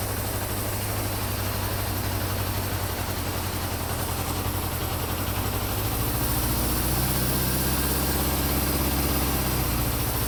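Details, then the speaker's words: Honda CB550 four-cylinder motorcycle idling low and even after carb sync, revving briefly and settling back smoothly; idle now adjustable from about 500 up to 10,000, showing the carbs are synced; running and tuning done. "so as you can hear the idle is adjustable now I can put it down as low as like 5 00 all the way up to 10,000 if I wanted so that's a good way to know that the carbs are now synced"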